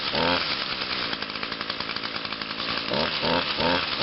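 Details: Echo two-stroke yard tool (blower, chainsaw or trimmer type) after a tune-up including spark plug, cold start on choke with primes; snaps up crisply from idle, holds an even buzzing run and revs cleanly; normal running.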